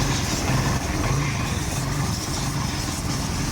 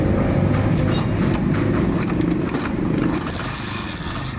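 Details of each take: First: Kawasaki Barako 175 after replacing the carburetor whose piston/slide rattled and raised idle (block, idle and kick gears already replaced earlier): low even idle putter with no tapping or rattle; now quiet and normal. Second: Kawasaki Barako 175 single-cylinder, engine noise persisting despite new block, idle gear and kick gear: loud uneven clattery rattle over the exhaust beat, traced to the carburetor piston/slide rattling in its bore.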